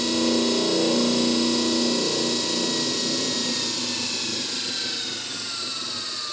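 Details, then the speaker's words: Rebuilt Hobart A200 mixer motor: whirs steadily with a high whine and soft regular churn; only faint rattle remains, much less than before the rebuild. "yeah I think there was a lot more rattling before and I don't hear that as much anymore okay that works I'm quite happy with that"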